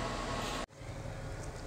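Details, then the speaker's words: E350 that came in misfiring with camshaft adjustment and intake manifold tumble-flap codes, after codes cleared, warming to temperature: steady even idle hum with no misses, stumbles or tapping; super smooth. "yeah super smooth everything sounds good this the car is way better than the way it came in"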